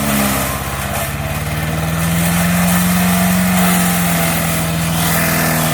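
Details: MTD 5 HP chipper/shredder, running after a carburetor kit replaced the bad carb, chipping branches: single-cylinder drone pulls down briefly as branches feed, then recovers; slow going but runs strong under load.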